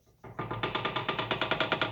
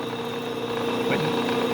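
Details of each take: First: Bridgeport mill head after keyway and variable-speed pulley bushing replacement; the remaining noise is a high-gear clutch spline rattle from play: sharp even clicks about eight per second over a quiet hum. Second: Bridgeport mill head after adjusting high-gear clutch spline play and letting the belt housing self-center: even steady hum with constant mid tone, no rattle or knocking; runs smoothly.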